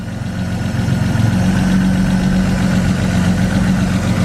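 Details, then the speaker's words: BMW E36 coupe idling, heard near the exhaust and underneath the car: steady low idle with a faint, loosely regular tap about four times a second that develops as it runs; possibly a lifter, source unconfirmed, owner plans an oil flush and change. "can really hear the tick like through the exhaust I don't know if I can hear coming from inside the exhaust or it's like tapping on something underneath"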